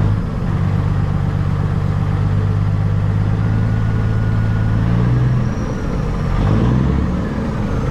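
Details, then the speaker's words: Peterbilt 379 semi truck diesel with loss of power: deep, steady idle with a weak, slightly uneven beat and a hiccup low down; mechanic suspects injectors not firing well, possibly the cam, not confirmed. "sounds like the injectors are not firing all that good could be a cam too"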